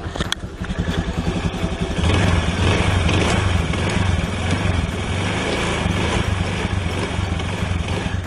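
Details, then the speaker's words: Honda Beat carburetor scooter after a new V-belt was fitted and the CVT cover refitted: a smooth, steady engine note with no grinding, rattle or judder from the belt drive. Normal, quiet CVT operation. "Dipastikan eh area CPT-nya tuh tidak berisik atau tidak ngeresek ya."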